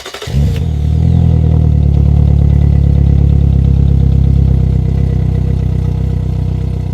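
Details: Engine jump-started with a NOCO GB70 2000A booster in boost mode, no battery connected: cranks briefly, catches, then settles into a steady, even low running note with no knocks or misses; normal running.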